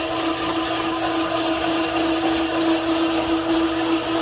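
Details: Old overbelt South Bend lathe newly fitted with a chain and sprocket drive to replace a belt that slipped badly; steady mid-pitch whirr with light chain whine and no surging or slipping. Normal smooth running, chain guard not yet fitted.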